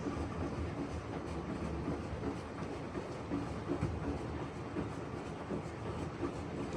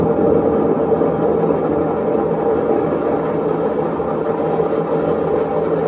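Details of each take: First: Maytag washer, complaint of loud noise, in diagnostic mode on agitation: soft, irregular swishing and light thuds with no squeak or grinding; agitation normal, spin and bearing not yet tested. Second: Maytag washer in diagnostic spin test, drum speeding up: loud, steady rumbling roar with droning hum; drum bearing worn out.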